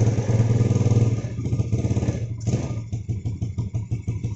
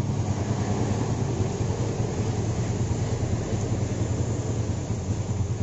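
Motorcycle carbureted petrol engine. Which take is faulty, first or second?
first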